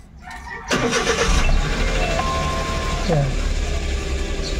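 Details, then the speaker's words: Suzuki Every wagon with hot-engine hard starting, right after clearing fault codes: short crank, engine catches almost at once with one click and settles into steady idle; quick normal start, hot-start behaviour not yet retested. "So ngayon hindi naman siya hard starting. One click naman."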